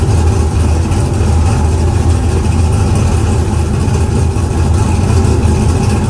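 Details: Car "Fancy" after a 6.2 LS swap replacing a 406 SBC with an out-of-balance Scat crank: deep, steady V8 idle with an even low rumble and no stumbles or misses.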